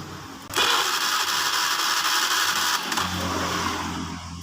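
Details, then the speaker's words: Fuel-injected motorcycle (Beat FI) that won't start, fuel pressure 40 and compression good: starter whirs steadily for about four seconds with no firing while a test lamp on the pulser wires stays unlit; crank no start, no spark from a faulty pulser coil. "oke di sini Tidak nyala lampunya ya mesinnya harus nyala tapi di tespen Tidak nyala"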